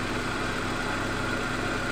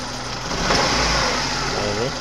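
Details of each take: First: 1997 Suzuki Baleno after repairing the misfire and lack of power by fixing the spark plug wire and the leaking injector O-ring on cylinder one. Calm, even idle with a steady hum and no stumbles or shakes; healthy. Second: 1997 Suzuki Baleno, running rough and weak: idle stumbles and surges unevenly, sagging near stall; misfire traced to leaking spark plug wire boots and an injector.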